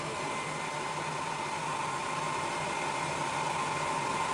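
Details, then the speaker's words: 4O3A Power Genius XL amplifier cooling fans on contest setting, running about 500 watts on 6-meter FT8: steady, even rushing air with a faint constant tone, fans spooling up, louder than standard; normal fan noise at high speed. "Okay, there's contest. You can hear an immediate difference. And they're spooling up. Still running 500 watts."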